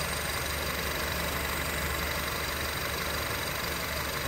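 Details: 2007 Honda Civic (8th gen) after climate control unit swap, AC turned off: even idle with steady background hum, compressor dropped out as it should; fault of compressor always on believed fixed.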